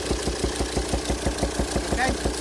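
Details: 2007 Volvo XC90 D5 185bhp diesel at idle: sharp regular pops about five a second through the throttle body and intake manifold. Cause is a sheared hydraulic lifter socket on one cylinder-5 exhaust valve, leaving it stuck closed. Fix is cylinder head replacement.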